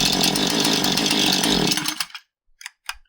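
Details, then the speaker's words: Husqvarna 435 chainsaw that won't idle down: screams at full throttle, then idles uneven and slightly fast. Pushing the throttle shaft slows it, so binding in the carburetor throttle plate rather than the throttle rod holds it open. "So if I open the throttle up, it idles a little high and if I push physically down on the throttle shaft, it idles down lower."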